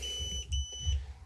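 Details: Xiaomi M365 scooter: high beeps repeat in short spaced pulses while idle; error 21, a battery-management (BMS) to controller communication fault, here caused by a faulty connector.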